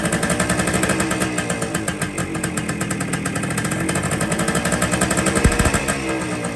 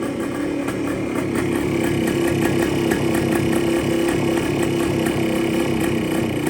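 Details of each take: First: 1973 Kawasaki F7 175 two-stroke barn find, close to the carb: rough, uneven popping that only keeps idling with the side cover pressed; air leaks past the loose-fitting side cover, which needs replacing for a proper seal. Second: 1973 Kawasaki F7 175 two-stroke, barn-stored since the mid-80s, with an air leak suspected at a loose-fitting seal: crisp, steady ring-ding at constant idle, no top-end rattles or tapping; idles cleanly.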